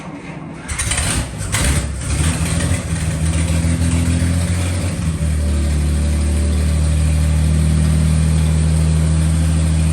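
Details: 1941 Dodge half-ton pickup engine after 39 years sitting, carb cleaned, on 6-volt battery with temporary wiring: brief cranking, then a steady, even low idle with no knocks or misses; runs healthy.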